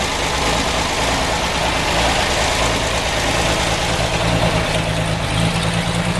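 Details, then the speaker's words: 1946 Chevy 2-ton cab-over, 235 inline six with glass-pack exhaust, after head rebuild: steady, even, slightly high idle with smooth firing rhythm and no knocks or ticks; healthy normal idle. "we got the old tur 23 235 running idle's good kind of a high idle see get a shot of the exhaust note here it's got that beautiful blown out glass pack out"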